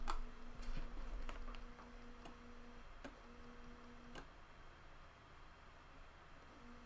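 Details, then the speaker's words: Panasonic floppy drive from a water-damaged Amiga 600 connected with a PC lead in Amiga mode: unevenly spaced soft ticks, about four a second, no disk activity; owner suspects a faulty ready signal, drive reports a disk present. "That, do you know what that sounds like to me? There's some sort of ready signal in there that's not working right."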